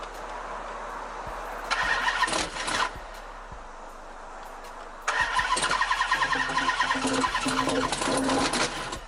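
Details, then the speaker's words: 2005 Chrysler 300C 5.7L Hemi after rebuild, oil checked, crank turns: two bursts of steady cranking with quick ticking, never runs; has spark, fuel and air, no smashed piston or dropped valve sound; cause not found. Cranks but no start. "all right well as y'all can see it wants to start it just won't start it doesn't sound like a smash piston doesn't sound like a drop vowel it doesn't sound like anything"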